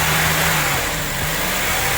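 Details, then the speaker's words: Honda EP3 Civic Type R K20 at warm idle after fast-idle warm-up, restless hunting idle wandering roughly between 1,500 and 2,500 rpm; seized idle air control valve to be removed and freed. "it doesn't quite idle right it's the idle control valve it must have seized up and I've got to take it off and sort it out"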